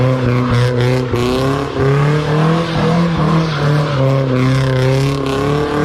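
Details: Nissan S14 with SR20 engine after gearbox repair: engine pulls cleanly up and down the revs with no whine, rattle or grinding from the gearbox; earlier noises gone.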